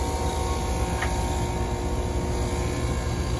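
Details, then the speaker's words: Carrier AC unit not cooling the kitchen: condenser fan is dead and spinning backwards, and the compressor runs labored with a loud, steady low hum and rumble; it likely can't survive much longer and is expected to trip on high pressure. Compressor straining; gauges not yet attached. "and you can hear the compressor i'm going to give it a second it likely can't survive a whole lot longer and it will shut off on high pressure"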